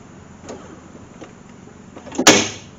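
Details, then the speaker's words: BMW Z3 (E36) power window, driver reaching the console buttons with the door panel off: faint scraping then a sharp loud crack as the glass pin pops out of its slider runner bushing and track; window regulator snapping. "she's just jamming up hard oh i see what's going on she's come out of the track i think right here"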